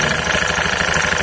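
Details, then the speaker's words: Honda Beat FI ESP injection scooter with heavy, weak pull and rear vibration: coarse, rapid rattling churn from the front CVT pulley at idle, louder and shrill when revved; worn rollers and front roller housing, with dirty rubbery debris in the pulley. "semakin bunyi er er stasioner aja Udah kenceng digas Tambak lembab melengking suaranya"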